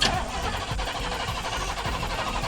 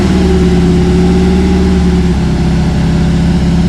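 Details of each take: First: Cammed Chevy C10 carbureted V8, sat for months: starter cranks slowly and regularly, under two a second, no firing; crank-no-start, carburetor suspected dried out, being primed. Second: Cammed Chevy C10 square body after tune-up, sat months with dried-out carburetor, primed: deep loping V8 idle with choppy cam rhythm, steady, no dropped beats, earlier miss gone; normal cammed idle.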